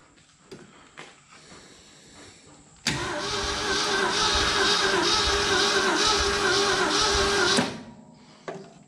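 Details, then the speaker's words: 1969 Ford F-250 sitting since 2001, engine previously stuck, first crank with compression and plugs installed: slow cranking with one dragging spot each turn, suggesting unequal compression. Cause suspected, not confirmed. "not too bad it's cranking a little bit slow and it does have a different spot in it there uh you know ideally you'd wanted a nice smooth crank"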